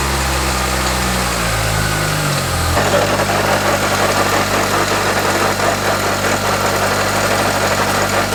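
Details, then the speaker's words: Mitsubishi Galant on first start after a transmission swap with a new OEM throwout bearing, clutch engaged: engine catches and settles to idle with a constant droning hum; transmission noise, owner suspects the input shaft bearing. "Alright, so clearly I've got a problem here. It's making the same noise that it was making on the Eclipse. And when I first heard that noise, I thought it was a bad throw bearing."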